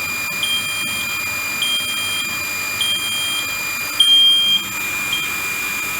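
Short high beeps about every second over a faint hiss, no pump noise standing out; normal buzzer while the boiler refills on start-up.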